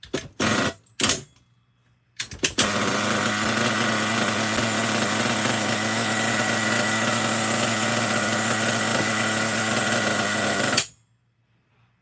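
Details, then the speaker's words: Small nitro RC engine, carb likely still dirty, run to clear fuel from the line: high steady buzz for about eight seconds with no misses or knocks; runs clean. "But yeah, idle could be a little bit lower. Other than that, I don't think it sounds too bad."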